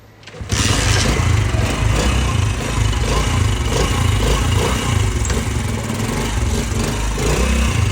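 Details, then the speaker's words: New-model motorcycle after replacing clutch cushion gear that caused noise: fires and settles into steady thumping idle, no rattle or gear whine from clutch side; normal idle after repair. "तो देख सकते हैं दोस्तों यह वही bike थी जो पहले आवाज पैदा कर रही थी। ये गरारी हमने न्यू डाली और बाइक बिल्कुल ओके।"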